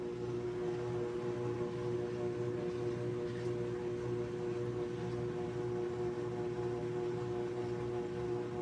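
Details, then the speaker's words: GE washer GTW460ASJ after drive belt installation: spin cycle starts slow then ramps up, picking up speed; smooth steady motor hum, clean even tone, no slapping, squeal or grinding; drum spins properly; normal spin. "spin differently depending on which so it starts it starts slow and then it ramps up. In fact, it's picking up speed as we um"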